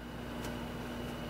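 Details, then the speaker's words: 1996 Giddings & Lewis Winslowmatic HC drill grinder with its 12-inch grinding wheel, run with the cover open via a switch block: steady smooth motor hum with no knocks or rubbing, running normally. "we've got the switch block just so we can show you for demonstration purposes turn on the grinding wheel which sounds good"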